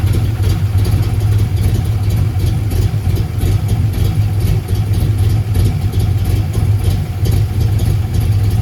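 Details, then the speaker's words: 1990 Ford Mustang LX notchback 5.0 with F-cam, 30lb injectors, no O2 sensors, idle adjusted, plugs not checked; low, fairly even V8 burble with slight wavering, much better than at first start, though finicky when cold. "this much sounds a lot better than it did once we first started this video and fired it up"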